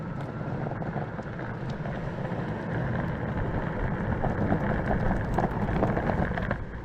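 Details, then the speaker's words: Verreal RS electric skateboard on its first ride (odometer already reading 18.8 miles; ESC possibly replaced) on rough surfaces: gritty, rock-grinder rumble with loose clattering that rises and falls; a rattle from an unknown source on the board. "ride i'm on rough surfaces it sounds like a rock grinder there's i don't know what's rattling but i'm gonna have to find that rattle"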